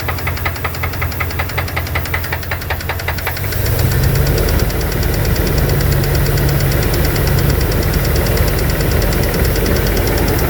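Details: 2002 Dodge Dakota 4.7 L V8 with sharp regular tapping, a couple of raps per second, continuing as the idle settles higher. Owner suspects lifters or piston slap; cause unknown.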